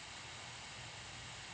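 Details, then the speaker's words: California Air Tools 2HP ultra quiet compressor feeding shop air piping: quiet steady hiss of escaping air, occurring only occasionally, as the leaking pressure regulator lets downstream pressure creep up until it vents; regulator overpressure venting hiss. "it doesn't do this all the time it only does this once in a while usually right in the middle of a shot when i'm trying to talk to the camera and i get this hissing noise in the background"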